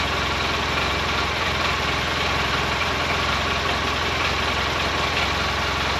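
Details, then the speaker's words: 2012 Polaris Ranger 800 six-seater, revived with new parts, just after first start. Steady idle with a light, fast metallic rattle riding on the engine beat; owner unsure, suspects play in the clutches. Rattle at idle. "Yeah, we have one little rattle. I'm not real sure what that is, but for the most part this thing is running great. Almost sounds like that rattle is clutches."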